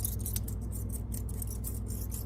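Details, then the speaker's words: Worn front drum-shaft bearing from a Mill City 500 gram coffee roaster (North TJ066), spun by hand after removal: gritty rhythmic scraping over room hum. It is shot after a couple of years of heavy roasting and is being replaced. "Now you can see on here, this bearing was kind of messed up, and you can hear it."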